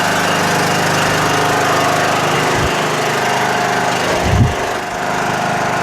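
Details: Repaired Toro Wheel Horse 1638HXL hydrostatic lawn tractor being driven out: single engine holds an even, steady beat with a couple of light knocks from the machine moving; transmission runs great; normal running.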